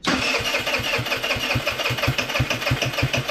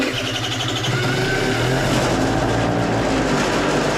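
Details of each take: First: Scooter with no accelerator pump, stored longer than the rest of the fleet on ethanol-free fuel, cranking by starter: about three beats a second with ragged sputters and tailpipe smoke that never catch; needs choke. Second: Scooter left sitting over a year, last fueled ethanol-free, restarted after carburetor concerns: quick, steady putter with no knocking or misfires, spitting a little oil; runs fine, just needs a good battery charge.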